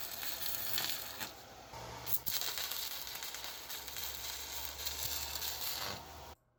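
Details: Pampa Hogar ARC 200 inverter stick welder, 160 A, fill pass: steady frying crackle with no popping or sputtering; smooth, healthy stick weld in progress.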